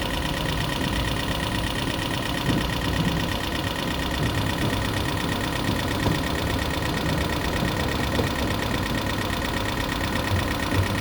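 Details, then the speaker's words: 2012 Toyota Prius V after head gasket rebuild and computer panel replacement: steady idle with fast, even light ticking, likely lifters still adjusting; expected to clear up. "not a good noise, but it's supposed to clear up, burn out."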